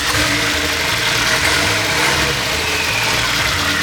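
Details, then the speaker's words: Nissan S15 Silvia with a built engine, first start after the overhaul with new alternator and no exhaust fitted: loud, raw, steady idle, even rhythm with no misses or knocking, charging at 13.9 V; normal idle. "It seems to be idling fine. I'm gonna put a multimeter on the battery just to double check that it's running okay."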